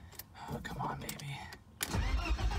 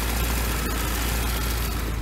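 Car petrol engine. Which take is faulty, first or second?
first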